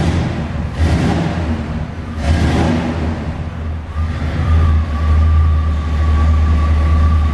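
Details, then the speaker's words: Chevy box with 305 5.0L V8 and dual exhaust, just after tune-up with new spark plugs and wires after sluggish running: two clean throttle blips, then even steady idle; running nice and smooth. "all right so wires has changed plugs has changed let's fire it up [Music] if you ask me it's running nice and smooth now oh yeah"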